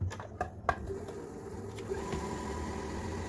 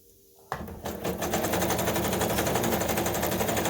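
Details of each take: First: Kenmore 385.19550 computerized sewing machine after lubricating and greasing, test run before reassembly: a few clicks at start, then a soft even whirr with no knock or rattle; previous noise almost gone, normal running. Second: Kenmore 385-19550 computerized sewing machine (made in Taiwan), during servicing, sewing a pattern after widening stitch width: fast steady clatter about four stitches a second, harsh and quite noisy; cause not yet found.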